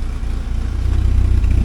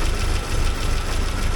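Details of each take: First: 1979 Porsche 924 after timing belt work, warmed up, heard at the exhaust: deep, steady burble with an even beat and no misses. A paper-towel exhaust test showed a couple of black spots, thought to be moisture. Running decently. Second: 1979 Porsche 924 after timing belt work, cold start in snowy weather: low, slightly uneven, loping idle. It should smooth out once the warm-up regulator heats, and blipping the throttle cold would stall it.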